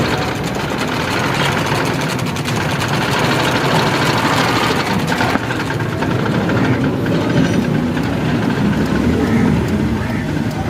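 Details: Honda City (2017–18 model) that would not start, now started but won't take revs: uneven, stumbling idle with an irregular beat and no smooth rhythm; misfiring.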